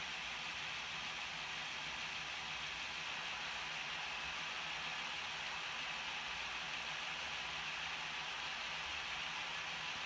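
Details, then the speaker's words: Older Bachmann Class 66 model loco, bought second-hand a couple of years ago, at full speed, about 56 dB, roughly 6 dB quieter than a new one: steady, even high whir with no knocks; runs well. "so yeah you can you can hear it's quieter but that could be a number of reasons could be because it's been used more could be that batman have changed their motor and gear supplier or specification"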